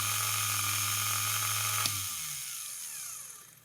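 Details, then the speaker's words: Rebuilt vintage AC/DC universal motor for a watchmaker's lathe, brushes reseated, turning counterclockwise viewed down the shaft: steady high whine with even brush hiss, then power cut and smooth coast-down with no scraping; motor healthy. "okay let's try reversing it right now so if you're looking down the shaft that is turning counterclockwise"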